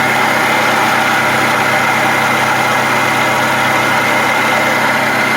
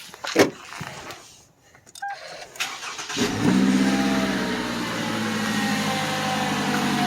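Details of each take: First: 2009-2019 Toyota Highlander 2.7L 1AR-FE four-cylinder at idle: steady high-pitched whir and growl from below the alternator, not the engine itself; worn water pump bearing, to be fixed by replacing the water pump. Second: Toyota 2.7L four-cylinder 1AR-FE Highlander started with both drive belts removed: cranks, catches and settles into a smooth idle with no whine or grinding; noise gone, traced to the water pump, which is being replaced.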